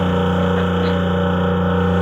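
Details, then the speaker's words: Brand-new yacht, system in manual mode with the low-pressure boost pump on, high-pressure pump activated: steady, even pump drone with a constant low hum; high-pressure output reads 0, with water seen under the unit; cause not confirmed. "high pressure output pressure is 0."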